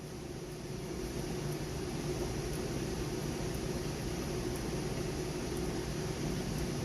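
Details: Trane AC condenser newly replaced fan motor, after burnt-out original: steady, even whoosh with a low hum and no rattles or scraping; fan spinning smoothly and healthy.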